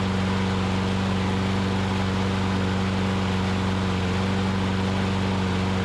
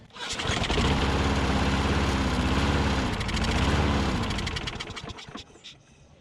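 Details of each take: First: Older Troy Bilt push mower after repair (governor spring moved to correct location and tensioned, dry-rotted broken carburetor bowl O-ring found as the fault): steady, even small-engine drone with firm low hum, no hunting or surging, holding speed smoothly; normal running. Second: Older Troy Bilt push mower leaking fuel at carburetor float bowl: catches and runs a few seconds with wavering speed, then dies and only sputters on later pulls; hard starting, owner suspects bad bowl gasket/O-ring starving fuel, planning new O-ring.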